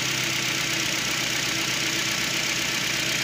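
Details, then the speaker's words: Nissan Versa with loss of power under acceleration and code P0304, cylinder 4 misfire: uneven idle with a faint stumble about four times a second and the vehicle shaking; coil or spark plug open suspected. "All right, it could be a dead miss. I'm not sure. All right, then. It does Here the vehicle is shaking up."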